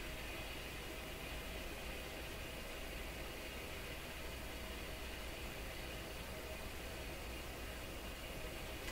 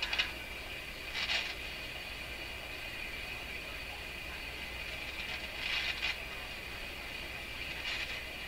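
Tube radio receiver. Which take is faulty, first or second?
second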